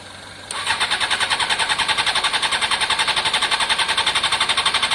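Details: Honda CBR600 F4i fuel-injected, non-runner crash-damaged seven or eight years ago, after injector cleaning with fresh fuel; even starter cranking about three to four beats a second for several seconds, never catching; crank no start, fuel pump suspected, possibly in tank, not heard priming.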